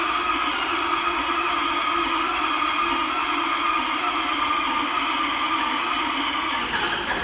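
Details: Ford 6.7 Powerstroke diesel, first start after the owner's engine rebuild with fresh oil, new filter and coolant (a coolant leak from an unseated O-ring was fixed): fires and runs steady and even with no knocks, misses or grinding; normal running.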